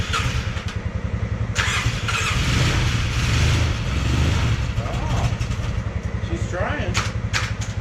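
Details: Polaris Sportsman 600 with almost no compression; quick even cranking chug near four beats a second, engine half catches but never runs; compression badly down, hard start.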